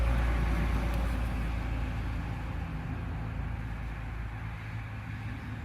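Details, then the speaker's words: Chevrolet Silverado with a misfire after the customer fitted plugs, coils and wires, cranking during a relative compression test: low chugging crank that weakens unevenly as the failing starter drops out; internal engine fault also suspected. "I think that's the starter dying that Starter's on its way out"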